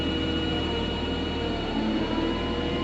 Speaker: You can hear that whine. Yeah. You've also got a high speed for a faster unload.